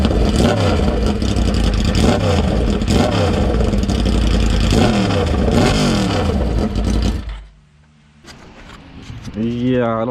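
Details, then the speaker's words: Yamaha GYTR factory exhaust with only one exhaust fitted during shroud repacking: sharp, harsh revving rising and falling quickly with a raw, very loud bark before dropping back to idle; owner finds it too loud. "that sound that's too loud"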